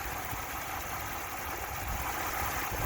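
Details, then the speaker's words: 2018 Ford F-150 Lariat 3.5 EcoBoost twin-turbo V6, one owner, 124K miles, hood open at idle; a steady, even, quiet rumble with no cam phaser tick or timing chain slap: healthy normal idle. "nice and quiet no cam phaser tick no chain slap uh nothing of that nature they got away from all those problems when they did a redesign in 2017."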